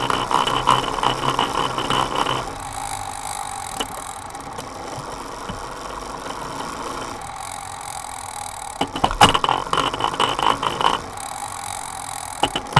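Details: Sunrace cassette on a Directo XR trainer with a Dura Ace rear derailleur, an Ultegra chain and a straight hanger: rough gritty grinding comes in bursts only on the 23-tooth cog; the trainer maker resolved it.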